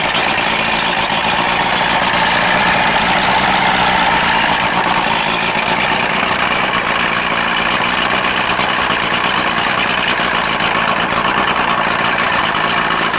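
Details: Johnson 90 hp two-stroke outboard on a Boston Whaler, unrun since 2015, after a new ignition pack for a no-spark fault and rebuilt carbs: even, busy burble at steady speed, no misses, knocks or surging; normal idle.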